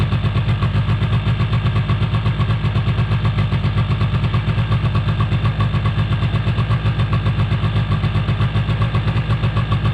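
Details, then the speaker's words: Small engine on a 2005 Polaris Predator 90 that sat unused: a fast, steady putter at about four pulses a second that never settles. The idle hangs high; spraying around the carburetor found no leak, so the cause is unknown. "out the high idle issue. Gotta figure out where it's coming from. I'm not totally sure, to be honest with you."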